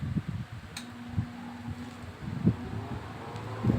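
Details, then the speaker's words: Electric fan after bushing repair, first scraping fixed; tested on speeds one to three, soft steady hum with no scraping or rubbing from the blade: normal quiet running. "so yan oh walang tunog Okay so number three na pala yun oh so number two yan So ngayon Ah okay na yung electric fan natin"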